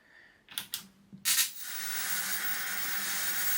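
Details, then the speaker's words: Mid-1980s Murphy 2201ST CRT television powered up after decades in storage: sharp snaps then steady high sizzling hiss from rear; flyback transformer arcing, leaking probably through age-cracked plastic, no picture. "we star to have a bit of a problem with this by the sounds of it if you have listen to this doesn't sound good at all"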